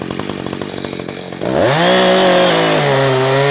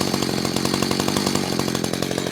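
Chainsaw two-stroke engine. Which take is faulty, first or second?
second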